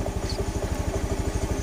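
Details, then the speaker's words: Honda Beat FI after fuel pressure restored to normal 40 PSI; steady, evenly spaced low thumps with no stumbling or misses, starts straight away; normal idle. "Well, in there it's 40 PSI, OK, let's try turning it on , friends, so that it runs normally, friends."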